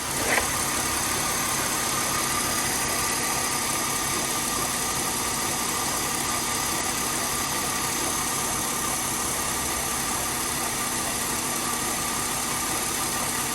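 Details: Mercedes W204 after replacing the accessory belt tensioner to cure a long-standing alternator belt squeak: steady even idle with smooth hiss, no chirp or squeal from the belt; normal idle.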